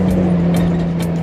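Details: Restomodded 1965 Mustang coupe with suspected carburetor idle-stalling, driven home: a steady, low droning hum at road speed, no knock, like an airplane; rear wheel noise of unknown cause.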